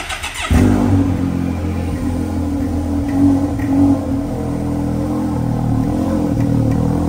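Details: Can-Am Maverick X3 Turbo R after fitting a larger Turbo RR turbocharger and exhaust manifold, KWI clutching and a new Whalen Speed R&D tune, intercooler not yet refitted: catches cleanly after a short crank and settles into a steady, even idle with no surging or hunting.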